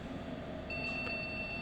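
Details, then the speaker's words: Palit GTX 1050 Ti graphics card on a test motherboard: rapid high-pitched POST beeps over fan hiss signal the faulty card; it has dust buildup and possible damaged traces. "So this one has a problem which is a beeping."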